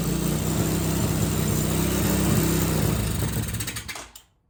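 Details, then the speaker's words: 2007 Hawk 250 Chinese carbureted single-cylinder dirt bike, previously cranking without starting, on choke after starting fluid: catches and runs with a quick, fairly even beat, then winds down and shuts off; normal running. "There it is. Mechanical integrity, spark, and fuel. She runs."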